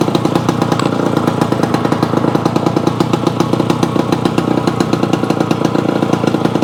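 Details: Yamaha AT-1 converted to CT-1, first start-up after rewiring, oil pump priming and carburetor fix, choke on, pre-mix fuel plus oil pump; crisp, even two-stroke crackle with quick regular beat, no misses or rattles, normal running.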